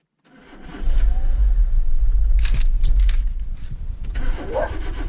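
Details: 60,000-mile 2010 Renault Megane 1.6 petrol with engine light on; cranks and catches quickly, then lumpy, stumbling uneven idle; misfire from faulty cylinder 4 fuel injector, fixed by replacing it.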